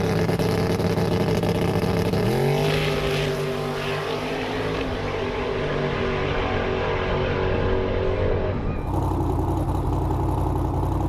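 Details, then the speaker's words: Twin-turbo Fox-body Mustang, automatic, on methanol, test pass: engine climbs hard, drops on the shift, then RPM barely rises in high gear, holding flat through second gear; torque converter too loose. "You may have noticed in that last clip that once the car got into high gear, you don't really hear the RPM change at all. It ended up being that the converter was a little bit too loose and it pretty much held flat all the way through second gear."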